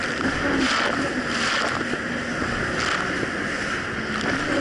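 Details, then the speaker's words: 2007 Yamaha VX Cruiser jet ski under way after a $10 fix, the surging probably caused by a narrow gap: a fairly even engine hum under splash and wind with no rising and falling surges, quick throttle response; running properly. "ten dollars later jet skis seems to be running great the throttle response is very quick it's not delayed and there's no surging issue anymore"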